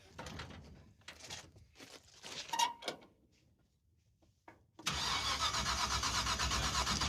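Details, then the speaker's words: 1971 Chevy Suburban with junkyard big-block V8 and borrowed ignition box: died at the starting line, won't refire; starter churns steadily about four beats a second, no firing, no spark found; rotor fine, distributor pickup suspected. "Go ahead and crank it. It's blinking. That's weird, dude. That's got no spark."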